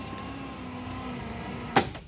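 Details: 1957 Ford Skyliner retractable hardtop deck lid modified so the screw-lock motors switch off once unscrewed; only a faint low motor hum as the lid travels, then a click and near silence, with lower current draw: quiet, normal operation.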